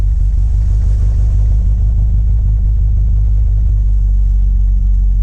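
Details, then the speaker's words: 1960 MGA 1600 warming up on partial choke at a 1500 rpm fast idle; it was chugging until the choke was pushed in partway. Now a deep, even exhaust burble with no misses or chugging, running smooth as can be. "There you go. Now you hear how that's running? Smooth as can be, 1500 RPMs. That's a really good warm-up temperature."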